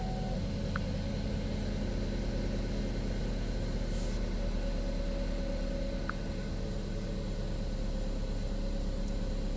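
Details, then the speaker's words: 2012 Buick Verano 2.4L petrol idling after camshaft actuator solenoid replacement; steady even low rumble, no knocks, ticks or misses; P0013/P0119 gone but new P0011 code appeared, engine still sounds smooth. "ut as far as my car sounds, it sounds like it's running smooth, which is typical of the camshaft solenoid. It'll run a little rough if those need replaced, but mine sounds good."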